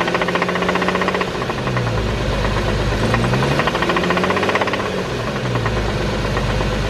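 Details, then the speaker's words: Infiniti coupe engine driven on zero oil, rough idle with a deep rhythmic knock every revolution heavy under the engine hum and a rattle in the exhaust note; connecting rod blown, engine a write-off needing replacement. "sounds so bad so essentially the rod has just been blown obviously a car can't can't be driven on zero oil for an extended period of time"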